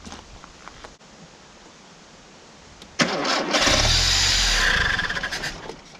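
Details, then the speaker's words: 1987 Mitsubishi Sigma 2.6L Astron, manual, revived after about 20 years unused: after long fuel-system work it fires and runs raggedly with an uneven, lumpy beat. Rough running; the carb seems unhappy, it won't idle and cuts out unless revs are held. "Something unhappy here. Well, after screwing with the fuel system for ages, I can get it to run, but it won't idle."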